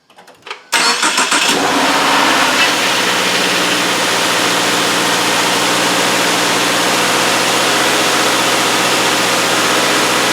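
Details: 2017 Subaru Outback with 59K miles, cold start after sitting overnight on an 80-degree day, just after an oil change with an anti-siphon (anti-drainback) oil filter, fitted to cure a 5-second start-up clatter: brief crank, even fast idle, no clatter or knock.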